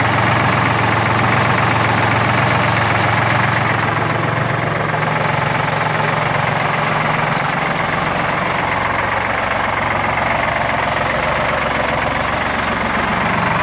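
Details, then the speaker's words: 1973 Peterbilt 352, 12V71 Detroit two-stroke diesel, warming after first start since 1984: loud lumpy uneven idle, banks badly unbalanced, one bank's cylinders hot and other cold, one bank doing the work; rack adjustment planned. "sounds totally different over here the balance between banks is way off this side's doing all the work these are all hot and the others are all cold"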